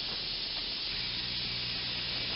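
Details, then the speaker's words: Personal Cushion Lift air pump inflating cushion; pressure bypass valve opens to prevent overinflation, giving a continuous smooth airy hiss with no pulsing, heard as pump is stopped; normal venting. "there we go this is what the sound is like when the bypass valve opens and I'm going to stop the pump so you can hear it the hissing sound"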